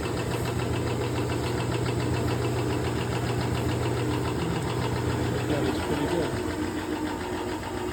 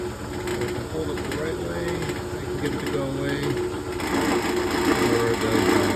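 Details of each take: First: General 340 floor drill press after refitting the pulley, belt and a longer bolt where it was chipped, tested with the belt guard on: steady low even hum, belt-guard rattle much better. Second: General 340 drill press running: fast metallic rattle over the motor hum, still present with the belt cover off and gone when the part is held by hand; tightening two bolts made a decent difference.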